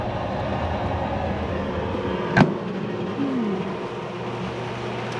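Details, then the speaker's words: Classic Edge 750 wood gasification boiler at annual fall start-up: steady low rushing rumble of fire burning in the reaction chamber, one sharp click partway; burning normally. "can I don't know if you can hear the rumble we'll look at the fire here in a bit but the rumble is is basically that fire [Music] burning in the reaction chamber"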